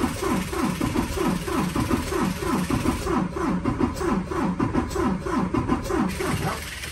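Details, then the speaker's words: 2019 Freightliner Cascadia DD15 diesel, 785,000 miles, engine noise complaint, cranking during a relative compression test: uneven, limping pulses; cylinders 4 and 6 at zero compression, 5 at 63%, traced to valves out of adjustment. "all right guys I'm not going to lie that sounds bad that sounds like I think we definitely got an issue going on with one of the valves"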